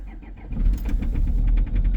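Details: 2.0 HDi diesel cold start at -13°C: rough catch then hard, regular knocking over the idle, with smell of unburnt diesel from exhaust; owner suspects electronics or remapped software, possibly injection, not confirmed.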